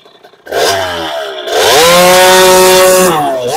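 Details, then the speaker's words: 2001 KTM 50SX two-stroke, upgraded carb and air filter intake refitted: snaps up from idle, holds a high steady buzz, drops back cleanly without bogging; best it has run, jetting seems dialed. "oh my God that was better than it's ever been guys without a doubt awesome"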